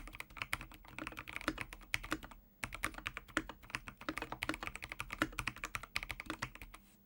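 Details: Ajazz AK816 75% hot-swap mechanical keyboard with Gateron Pro Yellow switches, typing test; fast clicky keystrokes with the odd sharper tick from the unclipped stabilizers rattling.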